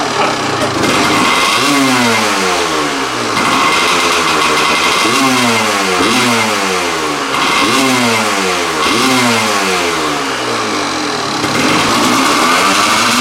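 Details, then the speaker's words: Kawasaki KDX200 two-stroke after chasing a rich-running condition, with a seal leak addressed: crisp blips rising and falling cleanly, coming onto the pipe as it revs, with no stumble. It runs healthy but still smokes a little. "that's how this engine is supposed to sound harmony crispness you can hear it just touching and wanting to get up on the pipe when it revs up"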